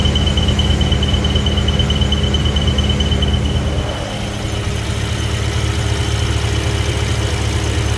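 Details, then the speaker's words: BMW E70 X5M, S63 engine, earlier UPR crankcase ventilation setup, at idle from underneath: a thin, constant high squeal like a slipping belt, then fades. Excess crankcase vacuum, making the oil fill cap hard to remove, pulls air past the front main seal. "if you could hear the the squealing or chirping type noise from underneath the car uh it sounds like as if the belt is slipping but it's not actually the belt it's actually the crankcase sucking in air through the front main seal"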